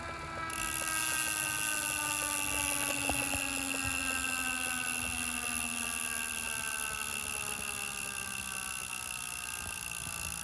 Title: Wahoo Kickr Fault - Gurgling Sound